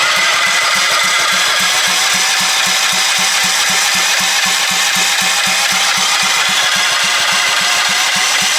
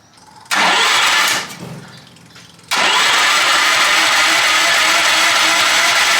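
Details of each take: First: Half-scale NASCAR Mini Cup race car, first start attempt after fueling, carburetor not yet cleaned: even starter chugging at about four pulses a second with no firing. There is no spark because the on/off switch of the two-switch setup was wired wrong and left off. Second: Half-scale NASCAR Mini Cup race car starting after a new clutch and chain were fitted: a short crank catches, dies back, then fires into a very loud, raspy, steady run through an unmuffled straight pipe, sounding healthy.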